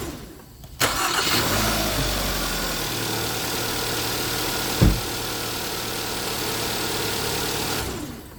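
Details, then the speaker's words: 2011 Hyundai Sonata after starter replacement (was no crank, no start): brief even cranking, catches within a second into smooth steady idle; normal cranking and start, starter not shorted. "cool it didn't short out that means the starter's not shorted and I didn't hook anything up backwards"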